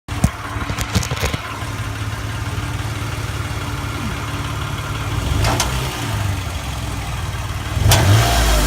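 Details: 2008 Toyota Sienna idling and revving with a light, fairly quick tapping/clicking over the running note, seeming to come from the exhaust side; cause unknown.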